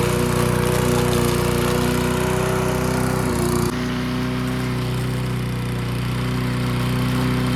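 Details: Old junkyard-find Bob-cat push mower with an aluminium deck, primed and started outdoors: the engine roars steadily, dips briefly around three seconds, then holds a smooth, even lower speed. Normal running.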